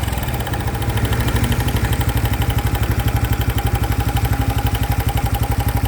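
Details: New 2025 Honda Biz engine shows a new noise after being accelerated to under 70 km/h: quick patter about four beats a second at idle with a light noise riding over it; cause unclear.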